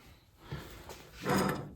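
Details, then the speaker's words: Mustang front hub spun by hand with rotor removed: rough gritty rush swelling and fading instead of smooth spin; wheel bearing is worn out and needs replacing. "very noisy this bearing is shot so we will have to replace this wheel bearing"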